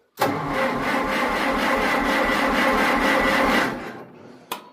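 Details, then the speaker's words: Farmall 400 tractor after starter and solenoid trouble; starter spins the engine slowly and evenly for about three seconds, cranking works but the engine won't fire. "Yeah, now we're not going to start."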